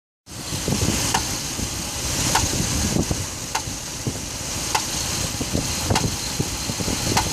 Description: I have a 2006 dodge ram 1500 5.7 engine knocking noise. Need some help identifying the noise. It only happens when the block is cold and engine light does not come on